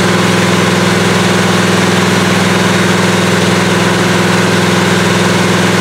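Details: 1977 Malibu low-mileage machine-shop-built V8 during cam break-in, oversized 770 carburetor; loud, steady burble, even pulse, no knock or tick over the exhaust; owner says any apparent rod knock is just the audio; normal running.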